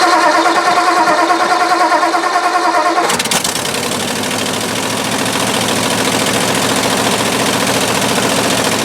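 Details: 1958-59 Ford F600 grain truck, 330 V8, long unrun, after carburetor float refit: brief crank, catches and settles into a steady, even idle about two beats a second; starts and runs normally.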